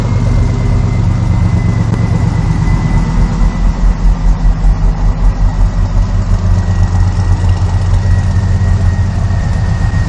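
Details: 1986 Chevy C10 with a swapped 6.0 LQ9 V8 and 4L80E transmission, filmed under the hood: a deep, even rumble settles into a steady idle with a gentle lope and no knocks, ticks or misses; normal idle.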